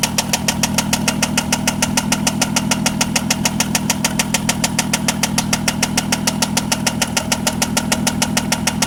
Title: 2003 vw jetta 24v engine knockin!!!